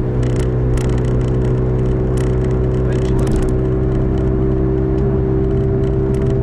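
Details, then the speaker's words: 2005 Toyota Matrix AWD, camera in back while cruising: steady constant-tone droning howl under road noise; owner suspects a rear wheel bearing, side uncertain (driver vs passenger), both already replaced once; unconfirmed. "well i bought a bearing for it because i thought it was a wheel bearing i guess you can hear it and the plane was howling like an airplane in the back you can hear that"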